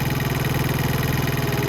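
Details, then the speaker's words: Venom Roma 50cc GY6 scooter after lowering a high idle with the idle screw: single-cylinder engine idling steadily at about 1500 rpm with a smooth, even putter; normal idle. "And that's right where I want it there now. I don't want it any lower than that. That's perfect, about 1500 RPM."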